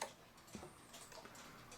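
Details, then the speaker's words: New England Calendar Clock No. 2710, just wound before any adjustment or cleaning: faint light ticks with uneven spacing between beats, said to sound sick. The clock seems out of beat, suspected, not confirmed. "sounds sick. Let me adjust that."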